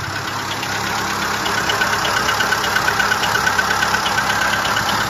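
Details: Seat Ibiza 6L engine at idle: even idle with a light, regular tick on top, roughly a hundred a minute; source unclear.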